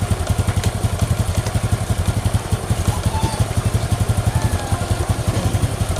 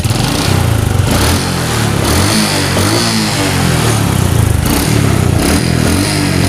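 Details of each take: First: Honda Supra X 125 after an engine repair for rough noise (block and piston): a steady, even single-cylinder idle with no knocking, raised slightly because the freshly rebuilt engine is still stiff; the earlier ticking is gone. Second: Honda Supra X 125 single with rough engine noise, before repair: uneven, lumpy idle with wandering beat and rough low thrumming; unstable idle attributed to the carburetor.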